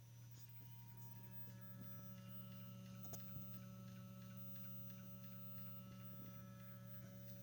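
Engine off, ignition on: a steady low electric hum with a faint higher tone; the gearbox mechatronic unit keeps humming, cause unknown.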